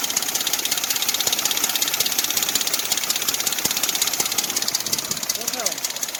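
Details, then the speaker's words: Dodge Dakota 4.7 V8 before timing chain replacement: crisp metallic chatter over the idle, keeping time with the engine; loose timing chain slapping its guides. "that's what you're hearing the chatter on that chain now got it down to here as you can see here how loose this chain is that's the noise is here slapping up against there"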